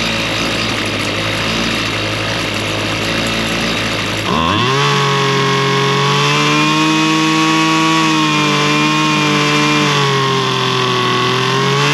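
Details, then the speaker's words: Lawn mower engine after stale-fuel cleanup and carburetor high and low mixture screw adjustment: catches after about four seconds, then a steady, even high-speed drone with no hunting or stumble; running well. "It's It's running pretty good."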